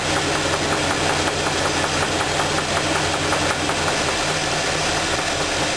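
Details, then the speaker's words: Engine idling, knock isolated to cylinder two by pulling spark plug wires: dull, sharp knock about once a second over the idle; teardown showed a spun rod bearing and rough crankshaft; rod knock. "now that we determined that the knocking noise is coming on number two cylinder"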